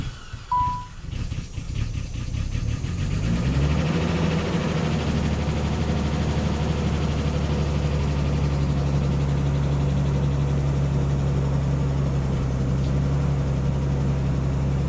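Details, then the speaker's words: Cold start after sitting: cranks and catches into steady idle with light, fast ticking, lifters believed bled down, quietening somewhat as oil circulates; lifter tick on cold start. "Now, when I fire it up, I know it's going to rattle some cuz it has every time I've let it set and cranked it back up. Lifters, I think they bleed off, but it should come back around pretty quickly."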